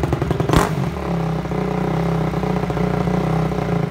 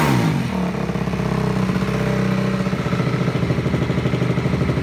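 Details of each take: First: Honda CRF250 just reassembled, riding at steady throttle: a sharp backfire pop in the exhaust, then the single stumbles raggedly and dies while on the gas; cause unknown, rider lost. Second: Honda CRF250 first run after reassembly, started without choke: low, steady single-cylinder thump at slow idle, even and smooth before cutting off; ticking heard is chain on rear axle, not engine.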